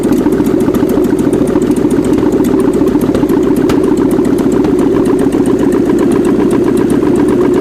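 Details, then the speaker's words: 1979 GMC Heavy-Half with a scrapped 350 small-block V8 with new heads, coolant system not yet hooked up; a steady, even idle with a smooth, regular beat and no misses or knocks; normal idle. "So, all right. She's a runner again. That's pretty good. Throwaway engine off Iceman's trailer."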